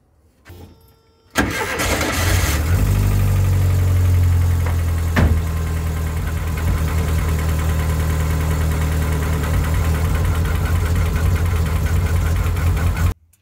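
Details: VW Kombi that sat for days in heavy rain and was hard to start and misfiring. After maintenance work on the engine it cranks briefly, catches at once and settles into a steady, even idle with no misfire.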